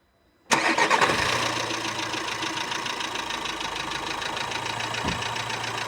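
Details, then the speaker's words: Volkswagen on a cold start: a steady light tick about four per second over a settling idle that quiets as it runs; the tick was not there before, and hydraulic lifters are suspected but not confirmed. "Ну давайте выводы не будем делать это кто не двигательный это похоже на компенсаторный"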